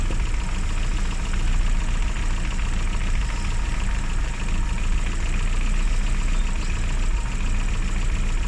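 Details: Classic Mini (Riley Elf) with points ignition, idling after a hard cold start on the year's coldest day, following about three months unused: steady, even idle with a fast, regular low beat, no misses or knocks; running normally.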